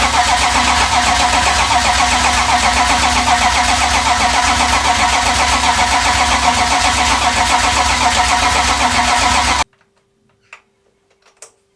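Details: First start of rebuilt BMW M52B28 engine in E36 race car, after cranking to build oil pressure: fires straight away and holds a steady, even idle about ten seconds before switching off; runs cleanly, no knocks or misses.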